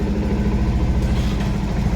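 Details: BS6 Bajaj Pulsar with engine-stalling-in-gear complaint tied to side stand sensor, started in neutral with side stand up: even, low single-cylinder idle pulsing steadily with no misses, knocks or hunting; normal idle.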